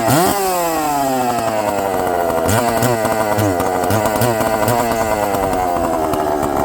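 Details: Chainsaw with good compression, first start after just a little fuel on the bottom (low-speed) carb setting: fires up and settles into a steady, even buzz with crisp revving. It runs, though the carb diaphragms are probably hard.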